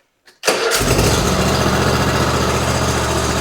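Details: Kohler-powered Hustler Raptor SD mower after a tune-up with new spark plugs, air filter, fuel filter and oil change, cool weather: catches on the first turn and settles into a steady, even idle, no misses.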